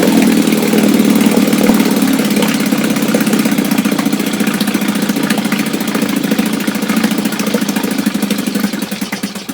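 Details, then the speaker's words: Restored 1962 Johnson Seahorse 3 HP two-stroke outboard, low-speed needle just richened: slow, slightly uneven putter that fades toward the end; idle set a little too low, losing some low end, but close. "A little too low, so I don't quite have all the low end, you know, to my advantage here, but it's pretty close, so enough that I can work with it."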